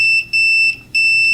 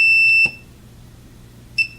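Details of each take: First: 1986 Roland DEP-5 effects processor, multimeter in continuity mode on the pin 10/11 solder joints: a high continuous tone, briefly broken twice, then holding. Continuity is present, but pin 10 drops out under pressure, a bad solder joint to be reflowed. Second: Multimeter continuity test on pin 10 via of a 1986 Roland DEP-5 effects processor: the steady beep cuts out in broken bursts when the pin is pressed; cracked solder joint, to be reflowed.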